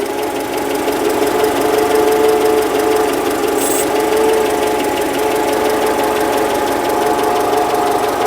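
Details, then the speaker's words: Citroen: even engine hum with a quick metallic rattle about three per second from the rear of the engine, comes and goes; alternator suspected but doubted, cause unconfirmed. "Although it's stopped rattling now, it's not making a rattling noise."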